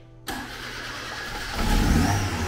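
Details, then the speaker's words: Fiat 147 engine swapped into a Fiorino pickup, first start after exhaust fitted: quick catch, then smooth even idle with steady low rumble, no knocking; much smoother than before, remaining noise from loose suspension parts vibrating. "Wow, much better, much smoother, it was a scandalous engine."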